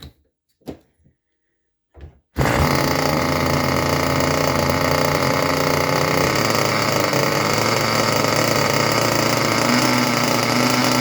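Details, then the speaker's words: Junkyard Mutt nitro engine on a break-in stand, first start after a needle adjustment from rich: after a few taps it fires into a fast, even, high-pitched buzz holding steady; normal clean idle. "Boy, I tell you what, that idle sounded pretty darn good. That idle sounded pretty darn good."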